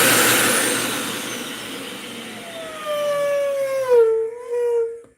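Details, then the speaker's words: Dyson UP19 vacuum: thin whistle wavering in pitch over motor rush as the bottom of the filter housing is pressed; air leaking past the filter seal, gasket to fill the gap. "all the gasket is going to do is just fill up that space that's allowing it to whistle. It's just a whistle."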